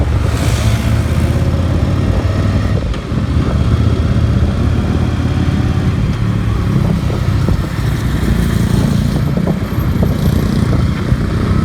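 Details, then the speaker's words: Yamaha XV 750 V-twin, repaired after arriving from Bolivia with one cylinder misfiring, accelerating with about 200 kg aboard: deep, steady drone pulling evenly, no knocks, misses or rattles; healthy engine. "Hasta se escucha el motor muy bien, no se escuchan ruidos raros ni nada por el estilo."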